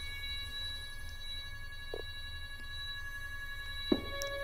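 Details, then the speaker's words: NEMA 24 5 A stepper on a Stepperonline CL57Y closed-loop driver with Centroid Acorn, at a typical 900 in/min feed on a wooden workbench acting as a resonator: steady even high whine, low bench hum, a few light clicks; normal running. "a wooden work bench that's that's working like a resonator so you can hear what that sounds like for those of you that are interested in the sound"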